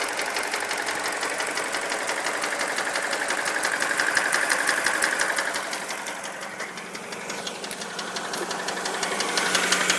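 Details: Mini Cooper N12 petrol engine at idle: sharp regular metallic knock about three per second, growing louder; timing chain retimed and tensioner new, worsened after 300 miles; rod knock suspected, not confirmed.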